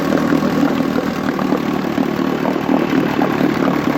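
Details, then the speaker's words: 1959 Johnson QD-20 10 hp outboard after its points were cleaned and gapped, dirty gas was drained from the carburetor and the thermostat was removed: steady, even two-stroke putter with a smooth regular beat and no misses or knocks; it idles cleanly. "So got it all out it seems to be running fine."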